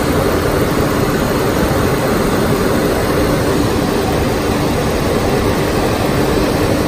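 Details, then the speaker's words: Car idling just after a jump start from a Clore JNC770R Jump N Carry on a dead battery: a loud, steady roaring drone from the AC compressor sits over the engine; the compressor is noisy, cause not determined. "That AC compressor made a heck of a racket, didn't it?"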